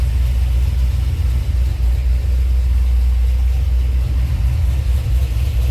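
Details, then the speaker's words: 2005 Pontiac GTO, 6-liter V8 (reportedly 20 over), running after a new performance transmission install: deep, even rumble with a steady lope and no tapping, knocking or grinding. It is running strong and healthy. "Your phone or your computer may sound okay, but with a sound system, oh my god, or like going through your big truck speakers or something like that, the sound is unbelievable coming from this right now."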